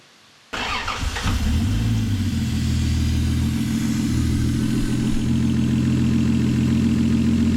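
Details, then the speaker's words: 1989 Toyota Supra MA70 with a 7M-GTE turbo, first start after 6+ years sitting: catches and settles into a smooth, steady idle; owner doesn't think the head gasket is blown and suspects a snapped timing belt earlier. "Dude, that's so smooth, man."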